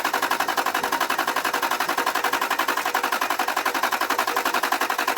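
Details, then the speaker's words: One-owner 1992 Toyota V8 saloon, 11k miles, long stored in a barn, cranked after extra fuel was added: fast, even starter churn with no firing at all. The immobilizer is suspected of cutting the electric fuel pump; unconfirmed. "no no that's definitely not even slightly firing which means I'm sure it's immobilized it's cut the electric fuel pump that would figure wouldn't it"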